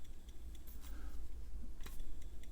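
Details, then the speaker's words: Siemens FDD 100-8 8-inch floppy drive AC spindle motor, very hot after running a while: irregular light ticks and clicks over a low hum, worn motor bearings rattling; lubrication planned. "so there is the motor you know it feels absolutely fine I can hear it rattling"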